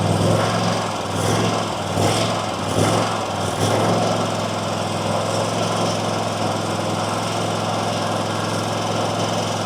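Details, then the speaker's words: RedMax zero-turn mower with a Kawasaki twin, after new intake gaskets. It hunts and surges at idle with sharp backfire pops, then settles rough, but idles up and runs fine on choke. Suspected out-of-tune carburetor mixture needing adjustment. "So you see how it's surging now and kind of backfiring. If I pull this, if I give it the choke, it idles up and runs fine."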